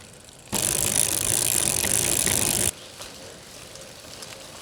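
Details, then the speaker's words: Brompton with a Sturmey Archer 3-speed hub, heard freewheeling in gear 2: rapid, even, light pawl ticking while coasting that stops with the wheel; normal, and gear 3 is the noisiest. "Gear 2, pedalling. Gear 3, freewheeling. Gear 3, pedalling. So just remember, that lovely ticking is just life with Sturmey Archer."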